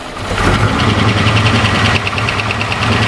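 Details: Series 1 Jaguar XJ6 with a 308 Holden 5-litre V8 conversion, first start in 10 years: fast, light metallic ticking over a rough idle. Expected to quiet once oil pressure brings the valvetrain up; the cause is not confirmed.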